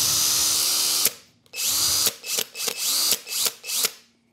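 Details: Hercules HC92K1 brushed cordless hammer drill from Harbor Freight, new out of the box with a 2.5Ah battery: short trigger pulls, bright whine spinning up and winding down cleanly with no grinding; something rattles inside when shaken, but the motor runs normally.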